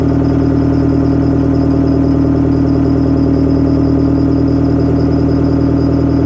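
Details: Detroit Diesel 4-53TIB two-stroke diesel, rebuilt Silver series, cold idle outdoors at about -7 to -10°C after Webasto preheat, no oil heater, oil about 28°F: smooth low drone with a steady firing beat, no misses or knocks. Normal cold idle.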